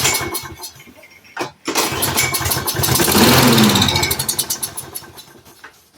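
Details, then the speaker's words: Roadside-found Troy-Bilt push mower with auto choke, after freeing a stuck part: pull start, catches, surges a couple of seconds, then sags and dies; fuel delivery suspected. "Did not think she was going to go ba-ba-boom as soon as we did that. Now she says no. All right. She wants to, guys."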